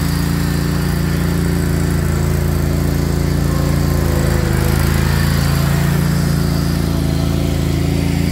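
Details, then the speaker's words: Craftsman GT riding mower (model 917.258873) with 18.5 hp Kohler CV18S 624cc V-twin, after carburetor replacement (long a hard starter), air filter off, jumper pack on low battery: even, steady low thrum at constant speed, no misses, knocks or surging; normal running. "all right well appears everything's working good so I'll button it all up again get the air filter put back on and go mow some grass so"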